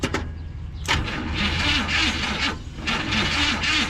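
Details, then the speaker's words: 1970 Chevy C30 farm truck, V8 350 small block (owner thinks), parked up to 38 years: starter cranks slowly and unevenly with no firing, cylinders full of fuel against high compression; flooded carburetor, float not closing needle and seat. "the reason that it slowed down so much is there's so much fuel in the cylinders but they're uh super high compression"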